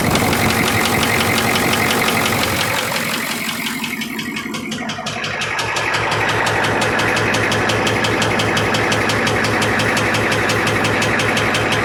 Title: Engine knocking 6.9idi